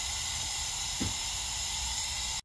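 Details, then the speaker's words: Eaton Fuller FRO16210C ten-speed transmission range shift top plate, rust- and water-damaged, with new modulator fitted; constant sharp hiss of air bleeding past the gouged piston bore, bubbling, cutting off abruptly. "if the modulator's off and the range Piston's not supposed to bypass Air One weight or the other shouldn't it hold pressure one way or the other house look at all those bubbles"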